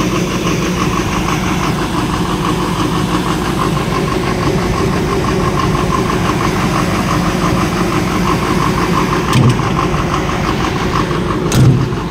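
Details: After the stuck solenoid was dealt with on an engine that had power but would not start, it catches and settles into a steady, even idle with a low rumble and no knocks or misses.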